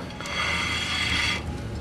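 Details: Front wheel spun by hand: rough scraping grind with a faint rising squeal; something rubbing, possibly the brakes or a bearing; lower ball joint checked and looks fine though its boot is dry; cause unconfirmed.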